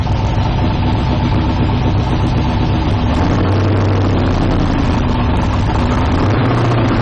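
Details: 1972 Nova drag build, trans brake applied in gear during transmission test after fluid drain (earlier 2-3 shift locked rear wheels); steady even low rumble, no knocks, clunks or slipping surges; trans brake holds, normal idle.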